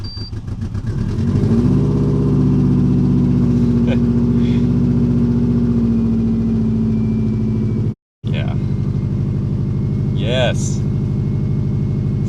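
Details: Subaru EJ205 engine just swapped in, first start after refitting spark plugs and fuel pump relay and priming fuel: catches after a short crank and settles into a steady, even idle with no misses, knocks or ticks; healthy.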